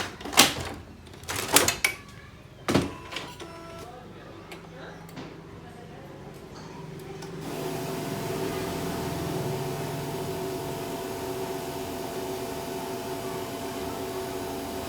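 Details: Canon MF3010 printer, sound during printing: after a few clicks, a steady, even mechanical hum with no grinding or rattling; the drive runs normally.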